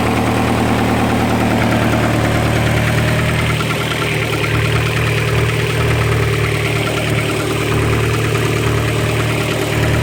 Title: More "not lifter tick"